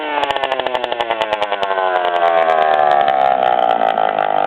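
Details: 1997 DS80 two-stroke with the exhaust pipe broken off the head: loud raspy crackling buzz with sharp popping pulses that rise with revs, a major exhaust leak.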